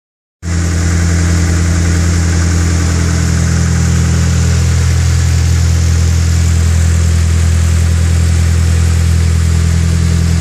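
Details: Nissan SR20DET revving after a faulty tensioner, which let the timing chain hit the top guide rail, was replaced: strong, smooth note with no metallic rattle; normal revving.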